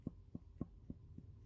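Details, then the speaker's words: Mercedes Sprinter OM646 turbocharger bench-checked off the vehicle, hot-side shaft rocked by hand: dull clacks three or four a second; excessive turbo shaft play. "Here you can see a lot more obviously. You can see the play there. You can hear this is going in"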